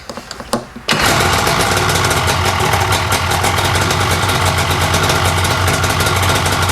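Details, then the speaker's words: 1995 Lucore Watermotive PJS VHP7000 jet ski (hull #70), two-stroke with rear and front carbs, start after reshimming and fuel work: a few cranking pulses, catches within a second, runs crisp and strong, revs freely and evenly; snappy, healthy. "That makes me happy. That's freaking awesome. Snappy little thing. She's peppy. Sounds good."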